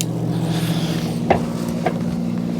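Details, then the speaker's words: 2024 Wired Freedom e-bike, rear derailleur after indexing adjustment: shifting down through the cassette from gear 7 to 1 gives even motor hum with only soft single shift clicks, no chatter, grinding or noise; normal gear shifting. "And as you can see there, no problems and no noise. So that's how you want it to be when you're shifting those gears."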